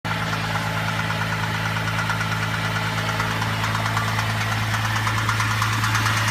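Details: Holden VZ petrol engine at idle with a steady low hum and regular knock; owner suspects timing chain or bottom end, unconfirmed.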